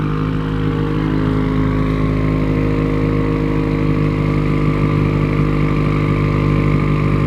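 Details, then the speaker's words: 2020 Subaru WRX FA20 DIT turbo with Tomei exhaust and PLM J-pipe, freshly modified, free-revving in light revs: smooth even engine note with steady turbo whistle on top, not overly loud; healthy, clean turbo spool. "You can really hear the turbo with FA20s, which is one thing I actually do like. Yeah. Like all you hear is like turbo spool. It sounds nice."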